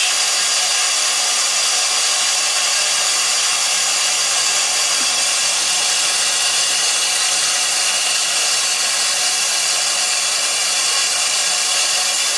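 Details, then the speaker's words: House well pump with pressure switch cutting in around 35 psi and out at 60; high gauge reading likely faulty clogged gauge: constant even airy whir, no surges, knocks or squeals; normal run. "Alright, so she kicked in around 35 pounds. 35 to 60. I mean, that's not so bad."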